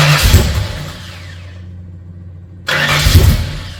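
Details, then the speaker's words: Freshly built 302 Cleveland V8 with Holley Sniper and new electronic distributor, first start: low chugging cranking bursts, a short gap, then it catches with a deep firm rumble; cranked a while but fired and ran sweet. "It did wind over a bit, but it did fire up and ran pretty sweet."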